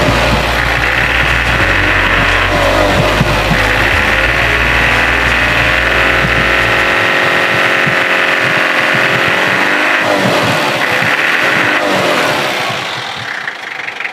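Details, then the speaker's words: Mitsubishi L300 engine after replacing a broken timing belt: steady even idle pulse about four beats a second, no ticking or slapping, smooth; engine healthy. "Udah terdengar suaranya, udah halus, enak."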